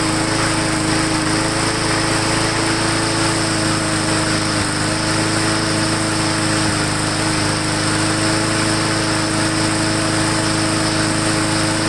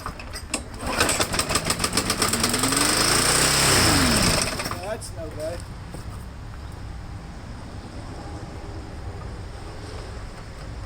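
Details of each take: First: Lawn mower after bending throttle linkage back, air cleaner refitted, Seafoam in fuel: steady even buzz, constant pitch, no hunting or misses, earlier slight surge improving; normal running. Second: Lawn mower being prepped for resale, running without air cleaner, had been surging and hunting: engine screams flat-out at constant high speed, unGoverned, then drops; throttle held wide open by a bent linkage piece.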